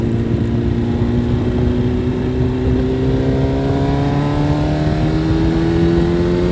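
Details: Suzuki Hayabusa with a built motor and aggressive cams, on a road test after cleaning its clogged fuel filter; before, it only reached about 7–8,000 rpm. A smooth note climbs steadily under load without hesitation or cutting out, revving all the way through toward 11,000. Normal full-rev acceleration.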